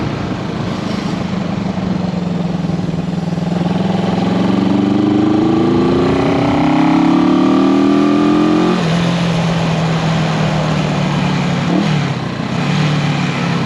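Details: 1974 Honda CB360 twin, test ride after fixing the faulty number two carburetor: clean, even pull as revs climb through the gears, then a steady idle at the stop with no stumble. Running healthy.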